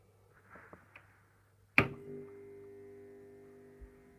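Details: 400 W high-pressure sodium light, freshly repainted: sharp snap as the lamp strikes, then steady low mains hum with faint buzz settling in as the bulb warms from white to orange; normal start-up.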